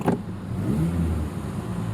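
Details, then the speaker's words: Ford Ranger pickup V8 petrol engine after a bad misfire with flashing check engine light: steady even low rumble with no stumbles; check engine light goes off. "it definitely sounds a lot better than it did yes"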